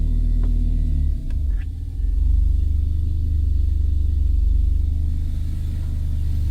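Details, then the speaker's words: Audi converted to the 8HP automatic idles smoothly as reverse is selected, with no clunk or whine; the earlier ugly noise came from filling the gearbox without the engine running and is now gone. "See nüüd on tehtud ja kui me paneme käima auto, ja valime tagurpidi käigu,"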